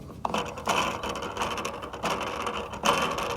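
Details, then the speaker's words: Polaris pool cleaner backup valve after fixing a stuck gear by pushing the small wheel back down onto its bar: quick ratcheting gear clicks in even bursts about every 0.7 seconds, spinning freely; gears turning normally. "problem solved okay it's fixed you can hear the gear in there turning"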